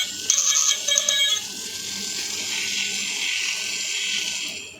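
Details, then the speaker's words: Toy elephant's battery-powered walking mechanism switched on: thin, steady high-pitched motor whir with a few light ticks but no walking rhythm; motor works but a leg linkage has slipped out of its peg, so legs don't move. "Reason ये है की देखिए ये यहां से निकाल गया है सबसे पहले तो हमें इसे इसमें फिक्स करना होगा"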